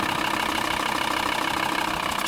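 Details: 2000 VW Transporter T4 after oil change to 10W-40 semi-synthetic, new filter and hydraulic lifter additive: smooth, even idle with steady hum and no top-end ticking; lifter noise cured.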